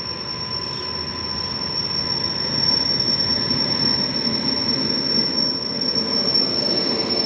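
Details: Toofan Duronto train hauled by an Ajni-shed WAP7 electric locomotive rolling past; sharp, steady high squeal runs unbroken over faint wheel clatter; continuous wheel squeal, cause unknown.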